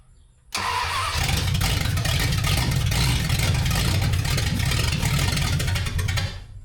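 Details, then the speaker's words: 1974 Dodge Dart Swinger, unknown old small block, fuel added and throttle worked during cranking: steady, uneven cranking chug for several seconds that never fires; helper thinks cranking stops too soon. "I feel like you letting off too soon. I think I might."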